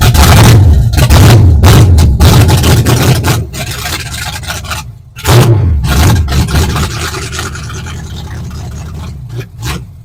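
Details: 1970 Ford Falcon with 5.0 small-block Ford swap, after carburetor clean and reassembly: engine catches and revs in short uneven bursts, then sags and dies between attempts; starts but won't stay running.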